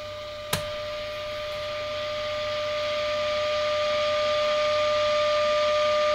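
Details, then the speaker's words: 1940s forestry service radio receiver, unmodified, switched from dim-bulb reduced voltage to full line voltage: clean steady mid-pitched test tone over light hiss, still strong at 10 microvolts; receiver working very well. "that's really coming to life now so that's at full line voltage so let's see what happens is i take it down to 10 microvolts still there and through the attenuation that's actually a hot little receiver"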